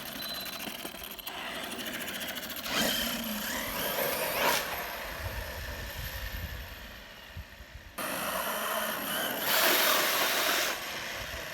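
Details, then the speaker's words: Arrma Kraton EXB 1/8 RC monster truck after diff rebuild and grub screw/motor mount fix: bursts of gritty, rattling gear noise under power, less than before, slow speed fine; owner says something is still up with the diff. "Yeah, there's still something going on, guys. Yep, there's definitely still an issue here."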